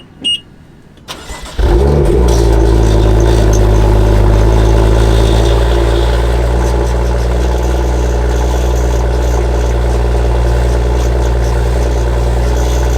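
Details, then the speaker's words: BMW M2, cold start: the starter whirs, then the engine flares and settles into a deep high idle with a sharp rasp from the rear. The exhaust has a fracture and the muffler a hole, causing the exhaust rattle. "underneath that too they discovered that there was a hole in the exhaust muffler itself so that's basically what was causing the exhaust rattle i'm gonna do a cold start right now just so you guys can hear it it's a bit annoying"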